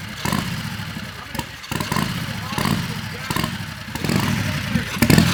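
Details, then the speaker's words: Turbo Predator 670cc V-twin dragster with Polaris RZR CVT, remanufactured starter, on gasoline with carburetor still tuned for methanol (only jet swapped): catches then stumbles and bogs between sharp throttle blips, no clean idle; running far too rich, keeps dying. "We basically have the carburetor tuned still for methanol. All I did was swap the jet. Okay, so that's So why it's it keeps running dying. it's running really awfully rich on gas right now."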